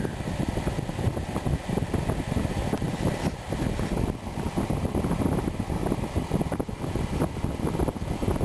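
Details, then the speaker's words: Suburban RV furnace after replacing the high limit switch and the burner element (piezo starter and flame monitor): steady low fan rumble with no burner whoosh; the blower runs but the furnace never fires. "So we're going to put these two parts in and see if she fires up. Okay. Sounds like it's trying to"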